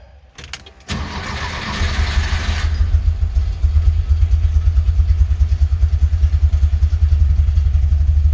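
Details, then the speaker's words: 1975 Porsche 914 1.8L with a new centrifugal distributor and carbs at base settings (idle screw 1.5 turns in, mixture 2 turns out): a lumpy, uneven idle with a slight miss, apparently on bank one. Cause unconfirmed. "yeah idle seems a little rough I'm I'm really kind of sitting at those base settings I discussed just a while ago"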